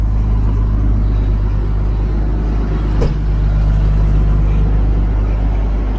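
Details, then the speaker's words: Toyota Land Cruiser idling after cat replaced with straight pipes, new O2 sensors and exhaust repair: deep, steady low rumble with no misses, ticks or rattles, even healthy idle, sounds like a truck; no check engine light. "I like the sound of it too. It's dark outside. Sounds like a truck."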